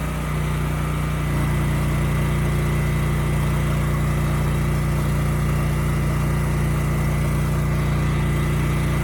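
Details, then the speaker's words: Used generator, model HU40500G, after a new generator head replaced the bad DPE winding and the governor was raised: steady, even low hum with no misses; about 61.5 Hz at no load, about 59 Hz under a 3000 W load. "okay good the engine sounds good and the power output is also good it was running a bit slow so I did turn up the governor screw just a little bit"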